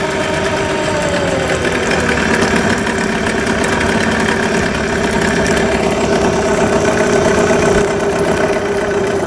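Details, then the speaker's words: Yamaha 9.9hp outboard after full service, run in a bucket of water with a good impeller stream: even, buzzy idle holding steady speed, no knocks, misses or rattles; running healthy. "I'm going to shut the motor off and turn it back on. Starts first pull. Great motor."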